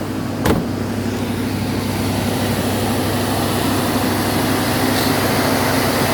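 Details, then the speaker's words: 1995 Mercedes-Benz S420 (W140) on its first running after restoration (clutch, water pump, thermostat): steady but busy idle near 1500 rpm, where about 500–600 rpm is expected. ASR light on with limp mode, cause not yet known. "as you can hear probably she's robbing kind of high Ralph 1500 rpms and a high for this car she's sounding good though"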